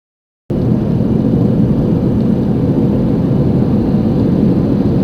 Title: Front Wheel bearing Annoying Sound.